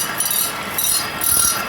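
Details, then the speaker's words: Dual Express grinder sharpening the reel of a Toro Greensmaster Flex 21 walking mower, stone just brought into contact: light, patchy scrape that comes and goes, more on one end; the stone is not level. "It's very sporadic. A little bit solider on that end."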